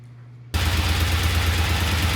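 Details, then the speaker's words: Vintage Norton motorcycle on its second start after the ignition timing was corrected and oil added to the primary: sudden start into a steady, even low rumble with a firm beat and no clacking; healthy idle, earlier clacking gone. "That sounds so good. Get rid of that clacking noise."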